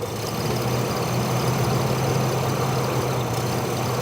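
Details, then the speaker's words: 2008 Chevy Trailblazer/Envoy setting P0014/P0017, idling during scan-tool VVT actuator test: low, uneven beat with slight stumble; VVT solenoid stuck at 50% duty cycle, cam likely too far advanced, rough idle, codes set again. "That's because it got stuck in that 50% position, and my cam is probably too far advanced."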